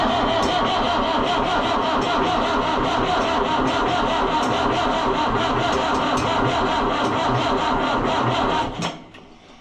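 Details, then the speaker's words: Oliver 1365 (Fiat 640) diesel tractor after a fuel filter leak repair, with air in the fuel system. Long, even cranking for nearly nine seconds never fires: hard crank, no start. "The bad news there is that it's going to take a ton of cranking to make this go."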